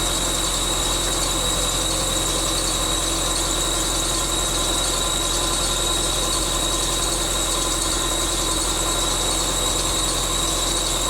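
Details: 1999 Subaru Forester S 2.5L EJ25 SOHC, first start after head gasket replacement: constant high-pitched squeal over a steady idle from the bottom pulley, which was on too tight. Pulley squeal from overtightened pulley.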